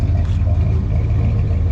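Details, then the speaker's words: All-original 1976 Ford F-250 Custom V8 at idle with Flowmaster mufflers, no exhaust or manifold leaks, no belt squeal: deep, even low rumble with no ticks, hiss or squeal. Healthy, smooth idle. "Got a great rumble."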